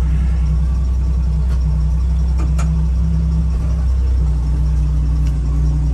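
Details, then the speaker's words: 1975 Jeep DJ-5D postal Jeep driving around the block: low, steady rumble with even beat, no knocks or ticks; intermittent load noise not occurring here, normal running. "I was going to say, it's running pretty good."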